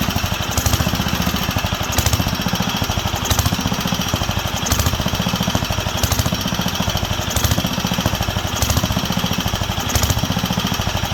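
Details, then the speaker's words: Wisconsin AENL single-cylinder barn-find engine on its first run in 20+ years, after restoring spark and cleaning the fuel system and carb. Rapid firing hunts up and down about every 1.5 s, never steady. Surging; owner says there is not enough fuel on the high-speed circuit. "yeah not enough on the high speed"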